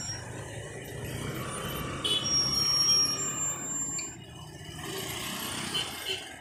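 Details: Old Royal Enfield Bullet 350 rear drum brake, wheel turned by hand, braking also weak at high speed: faint thin high squeal that comes and goes; the shoe return spring is rubbing the drum.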